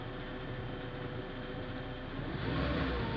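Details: Manual gearbox DUU after replacing clutch disc, release bearing and input shaft bearing, car raised, wheels spinning in gear: steady whirring drone with a faint beat about four times a second; unidentified gearbox noise, same in every gear.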